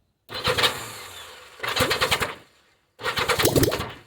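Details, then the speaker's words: Yamaha XJ900F, abandoned and unused for 4 years, first start with the exhaust headers open: three short bursts of ragged, crackling, bubbling firing, each stumbling and dying within a second; misfiring, not running on all four cylinders. "who Jesus Christ well she wants to fire you can hear it with that bubble sounding Open Exhaust"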